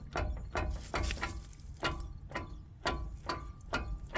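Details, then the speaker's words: Toyota 80 Series axle with a worn differential centre. Sharp metallic clunks come about twice a second as the driveline is rocked by hand, showing excessive play. The other diff is nowhere near as bad, and the axle is being swapped. "so yeah that's not meant to do that the other diff isn't even anywhere near that bad"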